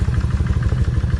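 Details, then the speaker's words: Kawasaki 1600 V-twin idling after sitting a month and a half, running again after spark plugs were cleaned: loping, even regular pulse with its normal tick and no misfires; healthy idle. "Miss time x she's back ticking again and uh I'm real happy to hear that tick trust me cuz when I first tried to crank it I thought she was going to crank up good"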